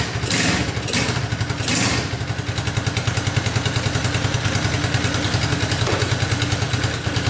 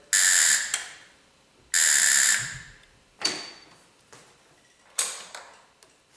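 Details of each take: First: Tao Motors Chinese mini quad that wouldn't start, now running on a jump pack after its battery was found dead. The little single-cylinder engine catches and settles into a quick, even putter with no misses or knocks. Normal running. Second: Tao Motors mini quad that won't start, new key switch and wiring harness fitted, key on, brake on, starter pressed: only a harsh electric buzz then sharp clicks, no crank; solenoid suspected of trying to close and vibrating.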